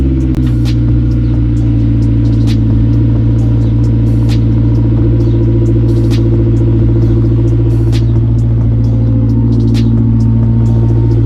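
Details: Honda S2000 idling loud and raspy with sharp puffing ticks about three times a second. A suspected bad gasket turned out to be the exhaust fully disconnected at a joint, with two bolts and the gasket missing.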